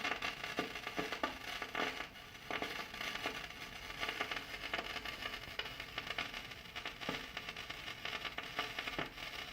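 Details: Kenwood GE-52B graphic equalizer output gives dense irregular crackling and hiss that fades in and out untouched; RCA cables good, wiggling connections has no effect.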